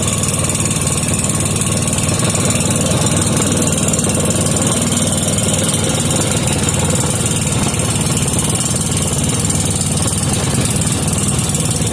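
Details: 5hp Briggs and Stratton with gear reduction, which only stayed running half-choked until the air-fuel screw was turned out half a turn, restarted and unchoked, air filter off: fairly steady single-cylinder thump, slight unevenness, holds idle; normal running.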